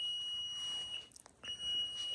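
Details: Basement water heater beside a newly installed HVAC system; steady high electronic beep tones repeating with short gaps, no flash codes found, cause unidentified: water heater alarm beeping.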